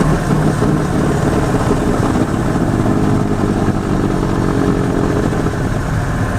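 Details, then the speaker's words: 1986 Ford F250 turbo 7.3 diesel while cruising, one hub engaged. Steady low rumbling growl from the front end like bearing noise, plus clunks under the floor; something is loose. Suspected worn front end, not confirmed. "It's not exactly all tire noise, and not really engine noise. It's kind of like bearing noise. You kind of hear this low, rumbly growl. I think that's our front end."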